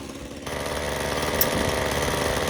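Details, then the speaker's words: Titan TTL688HDC petrol hedge trimmer, rusty, after cleaning sponge air filter, warming up: small two-stroke holds a steady, even buzz with no misses or knocks; blades running fine, trimmer repaired and healthy. "as you can see, it's got it running. It's going to leave it running for a bit, let it warm up. And show you here. So the blades are running fine."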